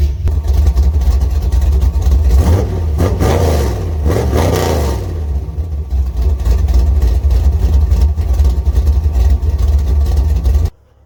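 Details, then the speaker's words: 1985 Chevy C10 with ZZ4 350 carbureted V8, after refitting a new fuel pump that was first installed backwards: strong, even rumble that picks up cleanly on two blips and settles smoothly; fuel now reaches the carburetor and it runs properly. "Oh yeah, that sounds better. That's the way it's supposed to sound. We got fuel going to our carburetor now, so she ought to start."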